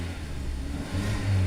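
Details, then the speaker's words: VW Polo after replacing an oil-fouled spark plug that caused rough idle, vibration and EPC light: steady low engine note rising smoothly as it revs, no misfire or stumble; vibration gone, engine healthy. "So the engine is no longer vibrating, so everything is sharp. Job done."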